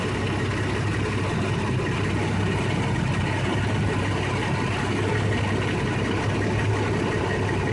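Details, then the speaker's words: 1989 Jeep Cherokee 4.0L I6 Renix idling after overhaul: steady even smooth low rumble, no knocks, ticks or misses; no strange noises, though owner suspects the harmonic balancer may be slightly off and the coolant system has issues. "i don't know but uh everything else sounds like it's doing good no strange noises no strange looking things for the most part stuff looks good"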